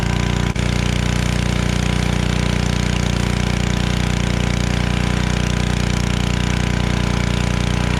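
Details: Generac 01292-2 pressure washer after carburetor replacement and pump bearing replacement and new oil, running with water: strong, very even low drone, steady beat around 200 a minute, nothing rough; engine and pump healthy.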